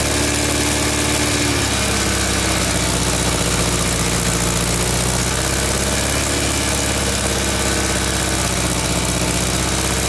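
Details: VW Beetle engine restarted after its smoking alternator was repaired with electrical tape: catches and settles into a steady, even idle with no misses, knocks or squeals. Running sounds healthy; belt tension still unverified.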